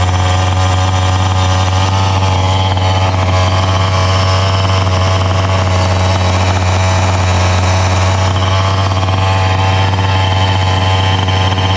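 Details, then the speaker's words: Rovan XLT450 45cc two-stroke RC truck, brand new, first start after priming, stock factory needle settings: steady, buzzy idle with even low drone and no misses, idle slightly high (owner would turn low speed needle 1/8 counterclockwise); normal idle. "Fire up was terrific. We've confirmed the stock factory needle settings are on point, although I think I would lower the idle a little bit by adjusting the low speed needle a little bit counterclockwise, about 1/8 of a turn in the future, but right now this is okay."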